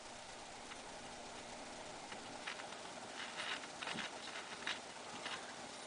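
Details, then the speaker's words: RCA 87T tube radio, labelled 87X, now giving sound after a tube problem, likely a 6F5 preamp, was found: steady hiss with crackly bursts that swell and fade while changing band and tuning, plus a pop in the tone control. Static noise when tuning. "but if i turn the band there's also a crackle and if i tune it you can hear noise also"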